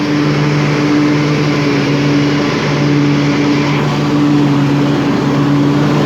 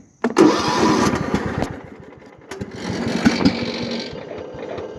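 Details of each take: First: 1998 Craftsman DLT hydrostatic lawn tractor with a 46" deck and 16.5 hp Kohler Command single-cylinder engine, 22 years old, freshly tuned with a new fuel pump and rebuilt carburetor. At full throttle it gives a loud, steady drone with constant pitch and no misses or knocks; it runs smooth with plenty of power. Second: 1998 Craftsman DLT hydrostatic lawn tractor, 16.5hp Kohler Command, freshly tuned with rebuilt carburetor and new fuel pump: engine catches, sputters and sags on choke, then picks up once the choke is removed; it was already warm.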